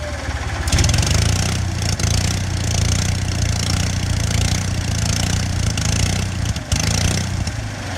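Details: Onan 4 kW generator thumps along steadily but stumbles around two and six and a half seconds, seeming slower than earlier. It runs fine cold but dies after four to five minutes once warm; owner suspects something, maybe a sensor, is killing spark.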